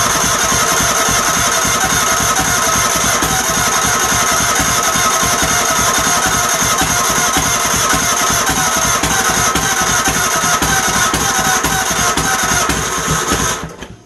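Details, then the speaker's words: Troy-Bilt GTX 20 after new lapped valves, heads refitted, gas fed into carburetor, exhaust baffles gone; rough, uneven churning about four beats a second with loud exhaust rasp as the tired starter drags the engine slowly: slow starter cranking. "I know my starter's going so you don't have to tell me about that if you you'll hear it I'm sure"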